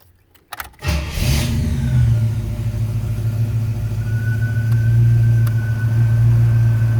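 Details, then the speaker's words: 1934 Chevrolet modified all-steel two-door with 700R4 automatic and A/C; the engine catches and settles into a steady idle, then a faint new tone comes in as the A/C compressor clutch kicks in while switched on and off; normal. "activation oops here we go you hear the compressor kicking [Music] in that's me flipping it back and forth so let's see how the air gets cold"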